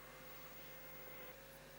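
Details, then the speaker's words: Amiga 600 with the case cover off after fan rewiring: faint steady mid-pitched whine over a soft airy hiss from a small fast fan; quieter than before but still a bit fussy and whiny. "I mean it doesn't feel so bad it still feels a bit fussed and whiny but then again saying that the cover is off this time"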